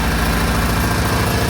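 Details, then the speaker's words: Original engine of a 1986 Toyota Tercel station wagon, before its swap to a rebuilt 3A-C: a heavy, lumpy idle that skips a beat in a steady pattern and shakes the engine; one cylinder has spark but does nothing, cause unknown pending teardown. "Spark, but it does nothing on the engine. So I don't know what's wrong with the engine, but we'll tear it apart and figure that out soon."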